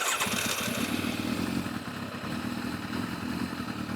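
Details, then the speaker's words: Yamaha FZR1000 four-cylinder with rebuilt carburetors, just synchronised with a Digi Sync gauge: steady even tickover with a smooth regular pulse, no hunting or stumbling; carbs balanced. "Ticking over very nicely. So yeah, I'm going to call that one done."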